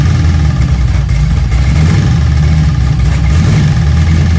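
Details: Junkyard LM4 aluminum 5.3 LS V8 on a stand with a Tick Performance Street Heat Stage 2 cam (229/235, 111+2, +10° overlap vs stock -37°). Loud, quick, fairly even idle with a slight lope; the idle sits high but it runs fine.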